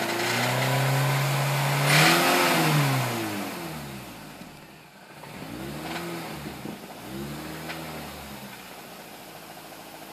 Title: 2005 MINI Cooper S clacking/clicking noise from engine.